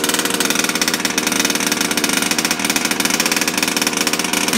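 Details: New RC engine during break-in, fired up without choke, with a little gas fed by a finger on the carburetor: a high-pitched two-stroke buzz running steadily with a fast, even crackle and no sputtering. It runs fine.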